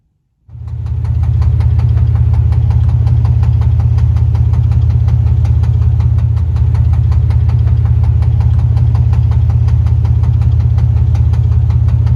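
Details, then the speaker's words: Lincoln Town Car V8 that burns about a quart of oil every 2,000 miles, after a burnout: steady idle with regular light tapping at about 160 per minute; owner suspects low oil or old accessories and plans to check the oil pressure. "that did give me a scare though I don't know if I ran it out of oil or not but that knocked did not sound good at all"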